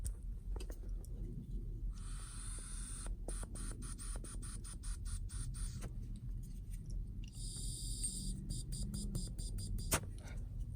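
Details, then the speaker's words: Purge valve removed from a Cadillac SRX 3.6L with code P0496 (evap flow during non-purge): soft bursts of hiss as air is blown through it freely in either direction; valve stuck open, replaced with a new one. "you can hear the air going through either direction so this perch valve is bad"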